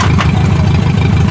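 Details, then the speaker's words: 2005 Duramax or 2006 Cummins diesel truck just started, using too much ether, battery terminal smoking: rough, lumpy idle with a hard, even knock on each firing pulse; heavy knocking suspected from ether, not confirmed. "all the ethics too much ether we're gonna try this again sounds like some horrible knocking"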